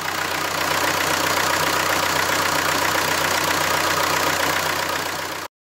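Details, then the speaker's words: Renault diesel, cold start after replacing glow plugs and clearing the glow plug fault: smooth, even cold idle with a steady beat, no knocks or rattles; the strange cold-start noise is gone. "les bougies de préchauffage sans remplacer le moteur ne fait plus de bruit bizarre à froid au démarrage c'est l'essentiel"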